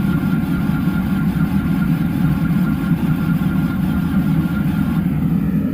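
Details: Excavator diesel in cold Christmas weather, cranked again after extra glow-plug time and heat under the engine: heavy, steady low churning with no firing catch; it keeps turning over but never starts.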